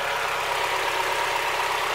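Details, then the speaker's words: Mazda Miata at about 150,000 miles, warm idle after Seafoam treatment for a returning lifter tick: even, steady idle with no obvious top-end ticking; the lifter tick is pretty much gone, normal idle. "right now like it's running smooth it sounds good the idle sounds nice this is after the seafoam treatment"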